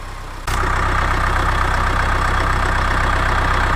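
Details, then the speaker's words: 2010 Subaru Forester 2.0 diesel, manual: at idle a hard, fast knock about four times a second over the clatter as the crank pulley wobbles; damper-like noise near the flywheel disappears with clutch pressed; gearbox removal later confirmed flywheel fault and a badly loose crankshaft. "Вот так вот шкив гуляет. Вот такой вот шум в районе маховика, демпфирующий, здесь маховик стоит."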